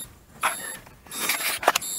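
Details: 1932 Ford sedan, ignition on accessory, left indicator on: the indicator relay's built-in buzzer gives short high-pitched bursts at a regular flash rate, quietened from very loud by a screw in its underside hole; working normally.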